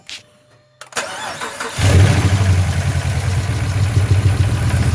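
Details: Hemi with new cam and lifters: short crank, then lumpy uneven idle with a dull knock. Cylinder 6 still misfired after the VVT solenoid was replaced; the cause was an unseated valve pushrod.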